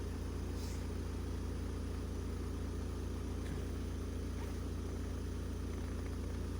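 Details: Opel Combo 1.7 diesel after soldering engine control unit, adding primer bulb and fixing fuel leak for crank-no-start with P0251: steady even idle clatter about 3.5 beats per second, no misses or knocks; smooth idle.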